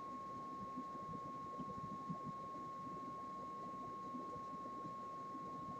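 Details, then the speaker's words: 1968 Ford Mustang Philco AM/FM radio D3AA on the bench, fed a signal-generator test tone after 15 minutes warm-up checking for fading: clean steady tone near 1 kHz over light hiss, output about six and dropping very slowly, inaudibly. "here we go okay the output volume is at six and dropping very slowly"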